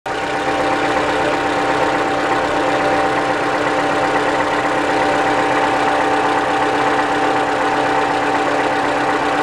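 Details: Cold-start idle on a 2015 Toyota Camry (a friend's car; the same engine is used in 2012–2015 Camrys): a fast, loose knocking rattle, about four per second, mixed into the engine note. Cause suspected, not confirmed.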